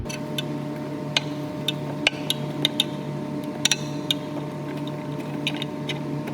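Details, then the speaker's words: PCV valve removed from a 2001 Honda CR-V during a valve cover gasket job, gunky inside and being shaken: sharp irregular clicks of the check ball rattling inside over room hum, showing the ball moves freely. "you want to shake it clean it out and shake it until you hear the little ball inside clicking them there you go"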